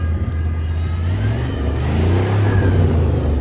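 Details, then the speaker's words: Cheap older Rolls-Royce at idle and revving, slack belt with something whining: very loud, deep roar rising and falling with the revs, with a rough, blowy edge; suspected exhaust blow, probably at the manifold. "Oh, and this car is so loud. Listen to that. She is not happy at all."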